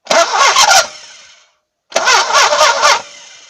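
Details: VAZ 2106 starter after new bendix fitted, engine cold: two short, even cranking bursts with clean engagement and no squeal or slipping; earlier strong squeal and slipping cured.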